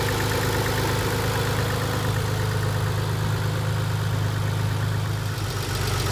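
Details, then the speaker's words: 1990 Nissan 300ZX twin turbo with used JDM engine idles smoothly, steady low hum, no top-end ticking after fix; lifter noise was caused by a dented oil pan, not bad lifters. "eventually but just by accident i did figure it out and i just want you to hear what the engine sounds like with this problem fixed"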